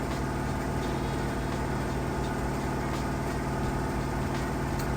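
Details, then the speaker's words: Samsung VRT HE washer in its final spin, holding a set RPM for a set time to extract the maximum water: a steady, even hum at one speed with no knocking or grinding. Normal high-speed spin. "It has to reach a certain RPM. Once it reaches that RPM, it knows and runs at that RPM for a certain amount of time, then it knows that the max amount of water has been extracted."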